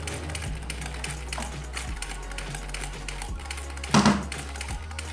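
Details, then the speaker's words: Sewing machine after straightening a bent rotary hook driver that caused bunched bobbin thread, breaking thread and noise: quiet, even stitching clatter with no knocking or binding. Normal running after repair. "ini kita yang ujung ini sangat bagus suaranya juga tidak begitu berisik mesinnya hasilnya juga sangat bagus tidak menggumpal"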